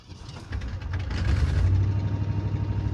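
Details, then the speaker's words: 1986 Mercury Grand Marquis LS Colony Park wagon, V8 started after repairs: it catches and builds into a loud, raw, uneven low rumble, louder than stock because exhaust is missing between the left manifold and the Y-pipe. "it is a little bit louder because part of the exhaust is actually missing from the left side where it comes off of the exhaust manifold to the y-pipe so I'm gonna have to fix that but"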